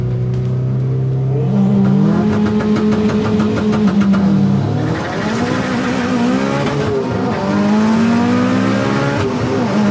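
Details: Turbo AWD Eagle Talon in drag race elimination run after new spark plugs fixed third and fourth gear: engine climbs cleanly through revs on hard pull, rising smoothly without breakup; running strong.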